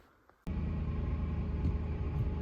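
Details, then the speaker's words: 2005 Ford F-150 Lariat 5.4L V8, 215,000 miles: starts and idles with faint steady whine, worst when very cold, louder when revved. "Okay, so there's the noise. It happens mostly when it's really, really cold, but now it will not go away. And of course, if I rev the [Music] engine, you can hear it. It's louder."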